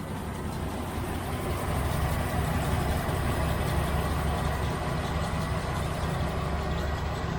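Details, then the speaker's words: 1971 Range Rover petrol V8 idles with an uneven, loping beat because cylinder number one is not firing; next step is lubing the spark plug lead boots. "we're still not firing on number one right now"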